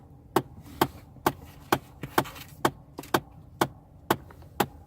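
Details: 2009 Chevy Impala LT, knocking continuing after air conditioning switched off: sharp, evenly spaced knocks about twice a second over a quiet background, persisting for minutes before stopping; cause undetermined.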